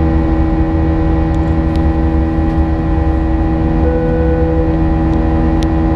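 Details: United Airlines A320 climbing out of Houston IAH for NYC LaGuardia, recorded in the cabin: steady buzz-saw turbofan roar with several fixed high tones from 1:33 until level-off; whine source unknown, and the uploader heard it once before in an exit row.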